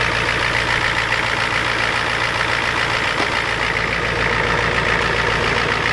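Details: Ford F250 7.3 IDI diesel just cold-started at 12°F with glow plugs and ether: steady even clatter at idle, about three and a half beats a second, constant loudness; normal cold-start idle.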